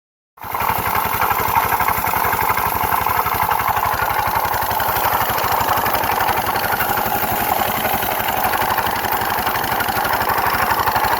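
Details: GY6 scooter engine starting and idling, also when given gas: rough, gritty grinding over its putter; owner suspects variator or crank bearing; it later accelerates slowly, cuts off, clanks and won't start.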